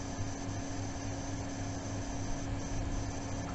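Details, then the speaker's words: Chirping VRM coil whine from a new B450 motherboard with Ryzen 7 Pro, heard when CPU drops from 100% load to idle, louder with side panel off, with hard drive seeks between; screech vanishes at full load; diagnosed as dodgy VRM, board replaced with B550. "But that horrible sound is gone. That is a dodgy VRM."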